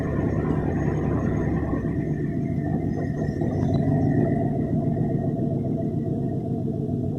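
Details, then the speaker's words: 1964 Ford F350, 60,000 original miles, sat for years. It was revived with new belts, hoses, thermostat, battery, fuses, points and a temporary aftermarket carburetor, not yet adjusted. Steady, even low rumble at a light idle, no knocks or stumbles; it runs very well. "So as you can hear, the thing runs, and it runs really, really well."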